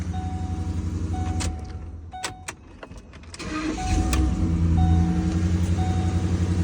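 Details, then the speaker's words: Ford Expedition after tightening a loose battery terminal that caused a no-start: engine catches quickly to a steady idle, cabin chime beeping, no thumping, clicking or warning messages; normal crank and start. "try it again we don't have any thumping noise no weird [Music] messages start it right up"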